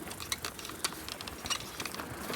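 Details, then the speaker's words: E-bike on hand throttle: irregular metallic clunks and rattles about two per second from the bottom bracket/crank area; chain slipping, owner suspects chain too slack and needing links removed. "So, I'm on the throttle here on my finger. And then it goes clunk. So, it's clunk clunk clunk clunk clunk."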